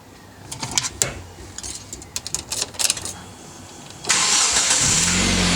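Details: Hyundai i30 FD after replacing the ignition immobilizer antenna for DTC P1693 and intermittent long cranking: clicks and handling noises, then the starter turns briefly and the engine catches and holds a steady idle; starts normally.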